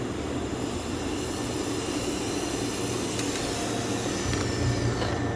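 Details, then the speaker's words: Boost leak test on a turbo car, engine off, with the charge pipe sealed by a ziplock bag and ziptie and pressurized by an air compressor, first test ever: constant high airy hiss over the compressor; a serious leak low in the charge piping. "we have a leak. Pretty serious leak down here."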